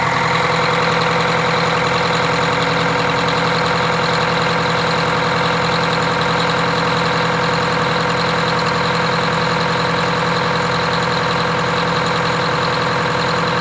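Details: Detroit Diesel 8V92TA two-stroke in a Wanderlodge RV bus after rebuild with 4 new pistons and liners, first test drive: loud steady drone with even beat, no knocking or misses; normal running.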